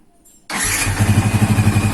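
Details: Old Yamaha Vixion 4-stroke, hot idle after 10-15 minutes of running, clutch-housing roughness already fixed: a thin steady whistle or squeal over the idle that disappears at 2000-3000 rpm. Radiator water pump, possibly its seal, suspected.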